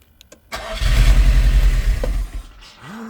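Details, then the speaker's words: Nissan S13 200SX Turbo abandoned for years, first start after fixing a no-spark ground cable to the igniter coil; fuel pump not heard: brief crank, catches, runs unevenly and sags, barely firing; rough running after long storage, no oil pressure noted. "It bloody runs. Come on! Oh, it's running bad."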